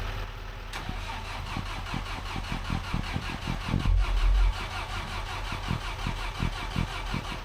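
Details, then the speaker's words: Terex carry deck crane bought as a non-runner: starter chugs steadily about three beats a second, turning over repeatedly without firing after it had just run; cranks but will not start, owner figures it needs ether. "Must need the ether."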